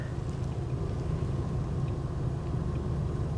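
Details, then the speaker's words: 1983 car, V8 guessed to be a 5.0 (fuel injection uncertain), just fired up on its own. Very quiet, steady low hum with an even beat and no knocks or ticks: normal, smooth idle. "can you hear how quiet that is oh man take a look at this so smooth"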